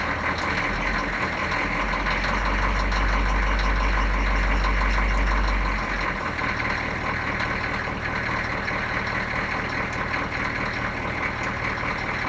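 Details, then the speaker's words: Food truck engine just started, throttle held slightly open to give gas, then let off; steady even rumble easing into a smooth, healthy idle; owner says she sounds good. "All right, she sounds good."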